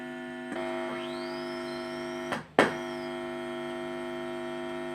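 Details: 2.1 home theater with a 2030 amplifier IC. A steady, low, constant-pitch buzzing hum comes through the speakers as soon as it is switched on. Fix proposed: replace the IC. Hum from speakers at power-on.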